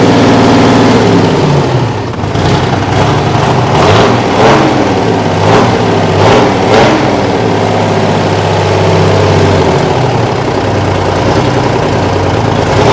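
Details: Kenworth/RFW 6x6 garbage truck with two-stroke 6-53 Detroit diesel, no muffler, sitting at least 4 years: loud unmuffled bark, revs blipped a few times then held steady and even; runs healthy.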